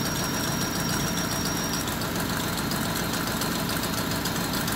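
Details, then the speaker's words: Honda with check-engine light, petrol idle: uneven knocking beat about twice a second, one cylinder misfiring from a faulty ignition coil connection (loose socket); smooth 750 rpm idle after repair. "Okay sira yung isang ignition coil try muna natin to So pwede din kasing hindi na isaksak ng maayos to"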